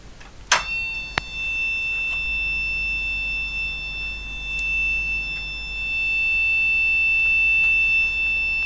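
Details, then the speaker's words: Olympia ESW 100-KSR typewriter terminal with power-supply fault: a steady high-pitched sounder tone continues unbroken after power-up; 5 V and 9 V present but 35 V rail reads 8.5 V, suspected leakage, likely nothing on 35 V. "okay so as you can see the 5 volts is present the 35 volts was showing as 8.5 volts i suspect that is leakage through the driver devices so i suspect there's nothing at all on the 35 volts"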